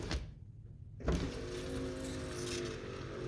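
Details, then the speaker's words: Lincoln Continental front power window after motor removal and torque pin bushing repair: motor hums smooth and fast after a clunk, no binding; normal power window operation. "and works really nice and fast"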